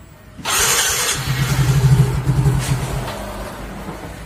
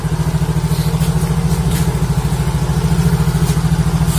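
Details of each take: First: Yamaha Mio Soul GT (YMZ FI) scooter, unused for a week, after a dropped battery was charged and a dead fuel pump fixed: two long cranking bursts with the starter whirring before it catches and idles; hard starting. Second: Yamaha Mio Soul GT YMZ FI, sat a week, after repairing fuel pump wire chewed through by rats (battery also charged): starts and idles steadily and evenly with no misses or rattles; running properly.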